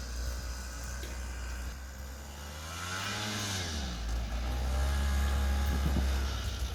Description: Check out this 1976 Yamaha gp300 snowmobile still running great after 45 years.